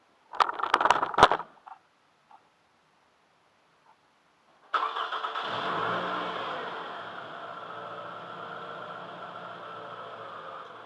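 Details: 2002 Toyota Camry started after PCV valve replacement to check for vacuum leaks: a few clanks, quick crank, clean catch and smooth even idle; starts and runs fine.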